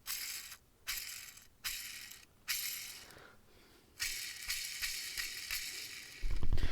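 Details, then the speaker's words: Clutch job on vehicle with 12-year-old clutch, fork found snapped: hand-spun old throwout bearing gives dry gritty rattle that fades each time; worn throwout bearing, replaced. "your skateboard, that sounds cool. Not in your transmission. It's annoying."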